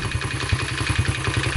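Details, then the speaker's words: 1986 Honda Z50R pit bike, heavily abused and crashed, with cam chain and tensioner needing replacement: fast, even idle with a light metallic top-end chatter on every beat; noisy top end, cause suspected, not confirmed. "it needs a new cam chain and a intention ER and it's got a kick starter shaft seal that leads monkey junkie all over it but you can hear she's a little noisy"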